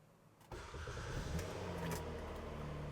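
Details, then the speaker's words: Kia Sedona at 171,000 miles, bought cheap at auction, intermittent check engine light and ABS light on: short crank, catches at once and settles into smooth even idle with no misses or knocks; starts right up. "Starts right up. It stays cool while you're driving it."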